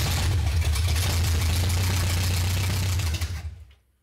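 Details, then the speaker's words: 1970 Oldsmobile Cutlass V8, sat about 15 years: after fuel poured into carb, engine catches and runs a few seconds with a low, slightly uneven burble, then dies as primed fuel runs out. Starts and runs. "yeah, she's all there. It runs. It runs. I'll take it."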